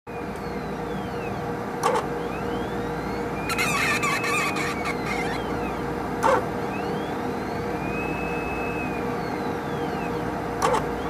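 Steady hum with high squeaky chirps sliding up and down in pitch and a sharp click every four seconds; pump squeaking, cause unknown.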